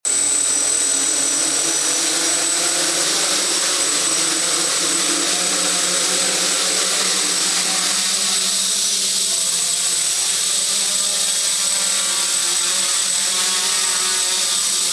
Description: This test provided some information about the Aeolian motors, their bearings are in bad condition, since I had to overcompensate the rudder and some high pitch noises were present